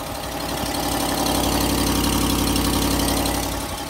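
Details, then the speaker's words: Ram 1500 5.7L Hemi V8 at idle: fast regular ticking with a sharp puffing edge from a leaking exhaust manifold, the common cracked-manifold fault often mistaken for the Hemi lifter tick. "uh people hear that exhaust manifold leak and they think that they've got the tick"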